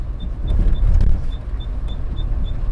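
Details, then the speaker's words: Classic Jaguar XJ Series 1 driven slowly: faint high chirp about three times a second over road rumble, in time with the wheels; it stops as soon as the brake is touched; previous owner lived with it for years; brakes suspected. "Jag tyckte inte det var några anmärkningsvärda oljud när vi började köra, men hör ni nu när vi kör lite långsammare här?"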